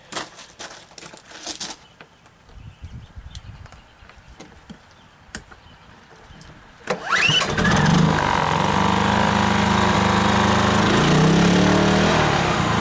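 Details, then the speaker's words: Briggs & Stratton P2200 generator restarted after overloading, now running about 500 watts: after some handling noise the engine picks up and holds a steady, even drone with no hunting or misfire; runs healthy under moderate load. "all right I got about 500 watts running through that thing right now and we'll just see how long it takes to burn"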